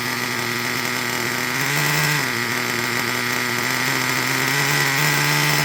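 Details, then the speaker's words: Traxxas Revo 3.3 nitro RC truck engine idling too high: fast high-pitched buzzing that hunts a little, well above a normal tickover; mixture too lean, not getting enough fuel. "Like if your car is running like this, it's too lean. Let me show you again. If that's how your truck is running, like I said, not getting enough fuel."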